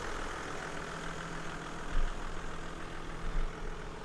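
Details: 1995 Toyota Land Cruiser 4.2 turbo diesel at auction inspection: low, even diesel rumble at idle with only soft, irregular swells, no knocks or rattles and no smoke; sounds healthy.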